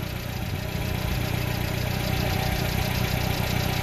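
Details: Subaru Sambar Hicab KS4/KS3 kei truck: small petrol engine idling with a steady, even low pulse and no hiss or stumble; normal idle.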